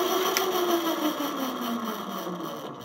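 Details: eZip electric scooter suspected of not charging or holding charge, on charger, throttle turned: thin motor whine sliding down in pitch as throttle eases; hub motor spins freely, normal motor run.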